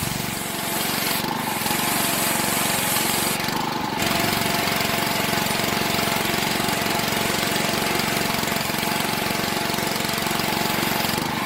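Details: Honda 6 hp pressure washer engine, sat outside 2–4 years with suspected water in the gas tank, after oil, gas and spark plug change and carburetor cleaning: steady even speed with a clean, regular exhaust beat; sounds healthy throughout.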